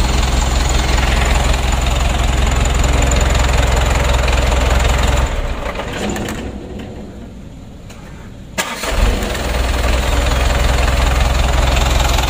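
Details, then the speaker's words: Mitsubishi Canter diesel re-overhauled after only 5 months, restarted after rebuild: runs, dies away, then catches at once and settles to a steady idle; normal easy start. "hidupnya masih inget ya masih mudah tidak sulit"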